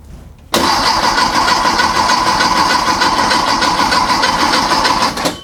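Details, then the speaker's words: A freshly built VW/Porsche Type 4 flat-four on a test stand at first fire: about five seconds of steady brisk cranking with no firing, while oil pressure is not building yet. Cause: no power to the ignition coil. "Huh. That's what the problem was. What was our problem? We don't have any power going to the"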